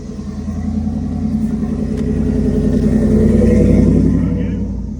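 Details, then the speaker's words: BMW 335xi: laboured, evenly paced slow cranking about three beats per second that never catches; same noise even with no spark plugs or wires fitted. Cause suspected, not confirmed. "Dude, and the BMW, the 335XI, this thing will not start"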